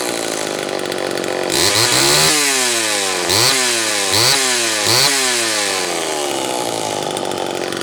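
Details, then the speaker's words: Homelite Super XL two-stroke chainsaw after new piston installation: revs up and falls back cleanly several times, crisp pitch changes with steady idle between. Normal running. "let's take a listen to what this thing sounds like with a fresh piston should be great"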